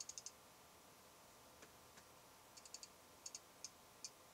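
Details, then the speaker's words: Fuji X-Pro1 in a low-light recording studio, sound pressure meter moved to 2 feet with no reading (about 54 dB at 1 foot): faint bursts of fast tiny ticking clicks in small clusters. Lens aperture chatter. "Because I mean, the lens chatter is so loud. People have been complaining about it. It's got to measure something."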